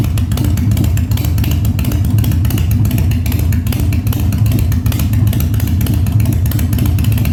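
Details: 1997 Harley-Davidson Fat Boy after carb cleaning, new spark plugs and new battery, no air cleaner fitted; cold start on choke at 70°F, humid. Heavy V-twin thump rising and falling cleanly with each blip, no popping or backfire; revs normally.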